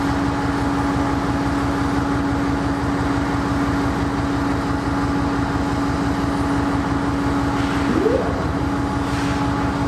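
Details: Sidelined KCS ES44AC diesel locomotive #4815 at Wenatchee: a steady low drone with a slow, uneven pulse underneath, loping rather than settling; a rough idle.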